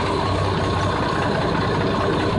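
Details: 1989 Jeep Cherokee Pioneer 4.0L I6 running after mechanical clutch fan delete (seized fan bearing) with shorter Honda Element serpentine belt; even, steady low-pitched idle with smooth drone, no knocks, squeals or belt chirp; normal idle.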